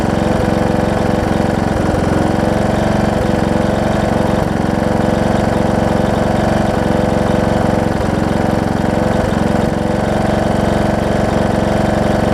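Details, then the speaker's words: John Deere D110 mower engine test-running after a full rebuild with a new head gasket, done after a detached flywheel magnet was found: steady, even mid-pitched idle at about four beats per second, no knocking or misses. Possible valve-cover oil leak, maybe burn-off. Normal running. "foreign whoa i said seems to run good oh so good"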